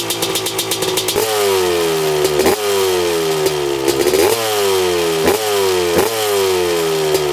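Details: 1995 Honda CR250 two-stroke dirt bike, on test ride: repeated rev pulls where pitch sags and breaks up instead of climbing; bad mid and upper range bog, rider suspects lean or fouled plug.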